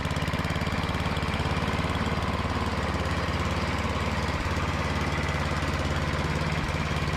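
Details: Craftsman MTD snowblower with a Tecumseh engine, unused for two years, after the carburetor bowl was cleaned with brake cleaner: a steady, even low chug at constant speed with no misses or surging; it runs smoothly.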